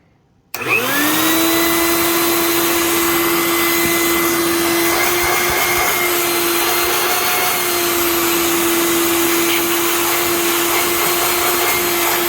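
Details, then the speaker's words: Master Mechanic 6 A wet/dry shop vac, rained in and left outdoors by owners: motor spins up in under a second to a steady high whine over rushing air, loud but even with no grinding; working fine. "It's a bit loud, but it'll do the trick."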